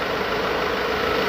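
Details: 2016 Ford Ranger T6 diesel, after repair for an AC compressor not engaging, with low side about 40 and high side about 300 (judged normal): steady even hum with a faint constant whine; smooth idle with the AC compressor running normally.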